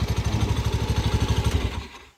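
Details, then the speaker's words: 2019 Honda Beat FI eSP scooter idling with an even low thump and a faint metallic jingle from the CVT area; acceleration and ride stability are fine; CVT clutch damper rattle. "Cuma masalahnya ada di bagian noise atau suara gemerincing. Nah, seperti ini. Cingcing-cinging seperti itu."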